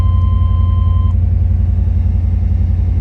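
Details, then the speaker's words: 1990 Chevrolet Suburban V1500 4x4, restored 350 TBI V8 with 700R4, cold engine just started: deep smooth even V8 idle, no knocks or ticks; idles perfectly with good oil pressure and voltage. "no she's whatsoever pressure as you can see it is cold Idols perfectly great voltage"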